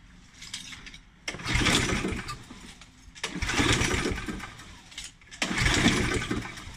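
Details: Challenge Xtreme XSS40A mower, primed three times though primer seems ineffective: three pulls about two seconds apart, each catching briefly then dying; fires but won't keep running, suspected two-stroke or fuel stabiliser in fuel, unconfirmed.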